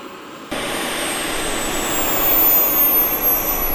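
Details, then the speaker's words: Jet RC car with RC-plane jet turbine, fully assembled during final check after car park testing: steady, even turbine roar with a high whine that holds and eases slightly, no surging or rattles; turbine runs healthy, then enters cooling mode. "The car sounded incredible. Very good."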